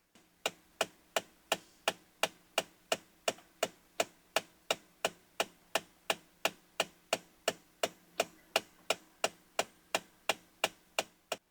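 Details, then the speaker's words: 2016 Ford Expedition (third gen) front HVAC blend door actuator thumping in the dashboard nonstop while driving; sharp, even knocks about three a second from the failed actuator, to be replaced. "But this one has this stupid thumping noise that happens in the dashboard. So, you get in it, you start driving it, and it won't stop thumping. And it's really, really annoying."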